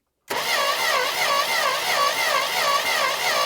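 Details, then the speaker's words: Barn-find Dodge Monaco, Mopar V8 (possibly 318) with a two-barrel single-plane intake, cranked to check for stuck valves: steady, even starter cranking with no binding; all valves moving, engine not seized; normal cranking. "okay yep they're all moving so no stuck valves and as you can see cranker one more time yeah good as you can see nothing is seized"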